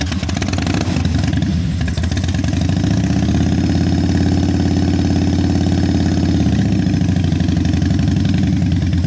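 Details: 1996 Harley-Davidson FXSTSB 1340 Evolution with Mikuni HSR 42 mm carburetor, running but still stumbling: loud V-twin with uneven, lumpy beat that stumbles as revs rise and fall; sputtering, needs carb adjustment.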